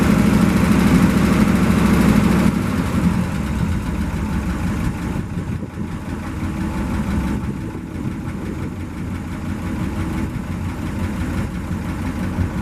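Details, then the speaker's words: 1963 International 549 V8 idling on an external gas tank through the old carburetor, no coolant: slightly uneven idle about two and a half pulses a second with faint rasp; belts starting to shred; noise also heard toward the transmission or clutch area. "Sounds like some belt issue too. The belts have started shredding. We'll need to get new belts before we run it much."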